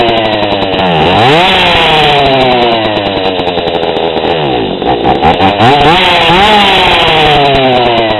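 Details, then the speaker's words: GoPed GSR40 two-stroke with 603 carb and TGN manifold, low needle half a turn too lean: revs climb sluggishly, then sag and flutter when throttled from low speed before struggling back up. It still revs but bogs badly, with the low end too lean. "even though I can still get RPMs out of it you can see it bogs really bad it's just too lean"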